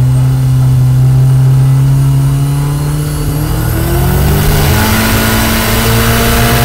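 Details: Engine revving hard under acceleration with a loud airy rush over the exhaust; boost escaping through a big intake boost leak.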